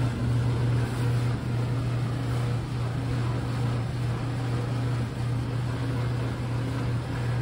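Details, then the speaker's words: Samsung dryer after replacing drum rollers, idler pulley and belt for noise; steady low hum with even drum rumble, no squeal, thump or scrape, much quieter than before; normal running. "so the dryers are repaired I want you to hear how it sounds it sounds a lot better than before"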